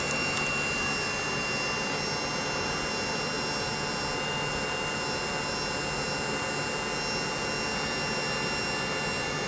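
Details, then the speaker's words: Webasto Thermo Top C diesel water heater on a bench test run before narrowboat fitting: smooth, constant blower rush with a steady underlying hum, no surging or knocking, working through its cycle. "just going through its cycle obviously it takes a little while"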